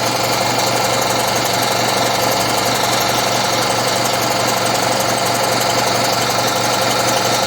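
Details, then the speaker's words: Air compressor (about 7.4 cfm at 90 psi) after a head repair where a dry aluminum journal caused problems: fast even chugging with a light rattle, far quieter than before the repair. Running properly again. "maybe this rattles a little bit but it's a lot quieter than it was it did seem like there was making some the aluminum on the dry journal was certainly causing some issues"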